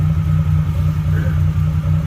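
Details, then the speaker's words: Maruti Omni on LPG kit, previously misfiring and wouldn't rev, after gas filter service: strong steady low drone under throttle without stumbling or popping; now revs cleanly on gas, problem solved. "अभी race भी हो रही गाड़ी race करने पर रे भी तकली और हमने यह प्रॉब्लम सॉल्व कर लिया है"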